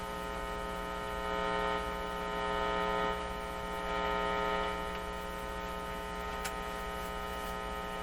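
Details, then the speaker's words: Canadian General Electric C701 console record player on the bench: steady, constant-pitch low mains hum; owner suspects poor shielding and unshielded wires and plans to fit shielded cable. "i don't want this flying into that strikes me the shielding is not great maybe it's these wires over here there's unshielded wires here"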